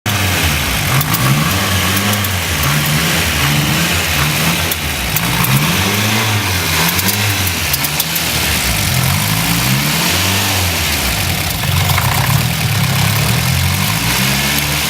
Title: Strange noise from turbo GT4088R